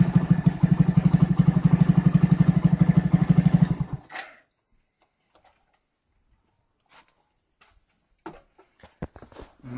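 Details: Moped engine after a whistle traced to the intake manifold gasket and a stripped bolt was fixed: even steady putter about four beats a second, no whistle, then shut off; healthy idle.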